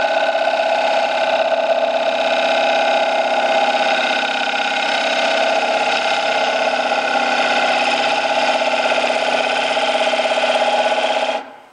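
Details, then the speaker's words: Wood lathe at about 1000 rpm finishing a dried, oval rough-turned elm bowl: steady hum with fast rattling chatter as the gouge bounces after losing bevel contact near the rim; fix is grinding back the tool's heel and resharpening. "all right now the last sound you heard that bouncing in there that was my uh cutting edge losing bevel contact it's pretty good in here but once i got down here close to this rim i had a problem"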